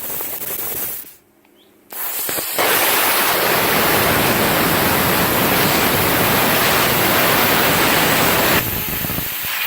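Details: CUT50 plasma cutter using welder's earth lead: brief quiet gap then loud steady roaring hiss of continuous arc; arcs and melts metal and consumables rather than cutting cleanly, cause unknown.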